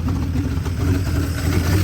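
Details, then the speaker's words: 1973 Jeep J2000 4WD, inline six, 3-speed, restarted after fuel line moved from tank vent to outlet: low lumpy uneven idle, still not running right but better. "she still ain't running"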